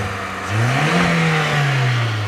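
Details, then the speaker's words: 2001/2002 VW Polo 1.4 multi-point injection petrol, 88,000 miles: engine climbs smoothly on a quick blip and settles, slight chugging at idle but no tapping or knocking under rev; normal revving, no knock. "So here we've got the 1.4 multi-point injection Volkswagen engine, and it doesn't sound too bad, but it does sound like it's chugging a little bit, or I wouldn't say knocking. Is that a knock? That's not a knock, is it?"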